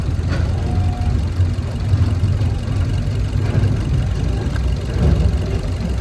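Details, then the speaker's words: 2021 Maruti Dzire petrol/CNG with cylinder 2 not firing (P0302, also P0300 and P0171). It idles rough with strong vibration and a lumpy thrum, and unplugging the cylinder 2 coupler changes nothing; the fault is attributed to a failed ECM. "ये दो number cylinder काम नहीं कर रहा है।"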